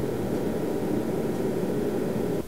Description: The DP832 is a really nice instrument, but has a horrible, cheap and noisy fan.